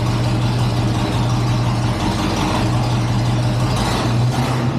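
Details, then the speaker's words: 1963 GMC C20 pickup, 394 Olds V8, unrun since 1998, gravity-fed fuel to the carburetor: deep, even idle with a steady low rumble, no misses or knocks on first start. Normal idle. "idle I love that shut it off let's see if it turns back on now let me tell you you don't always get that lucky I'm surprised first crank it fired up woo that is exciting"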